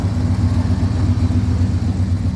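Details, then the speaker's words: 1973 Ford F250 highboy, likely FE V8 (360/330/390 unknown), engine possibly freshened, running on bad gas: deep, even V8 burble with a steady pulse and no knocks or misses; idles smoothly and sounds healthy. "Running on bad gas right now. You can just smell the bad gas, but It sounds healthy."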